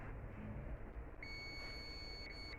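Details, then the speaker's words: Continuity beep on the fuse of a 2KV UPS charger card: a steady high meter tone lasting over a second means the fuse is good; no shorting yet found in the bridge rectifier. "Fuse ठीक है। Bridge rectifier में अभी तक किसी प्रकार की shorting नहीं दिख रही है।"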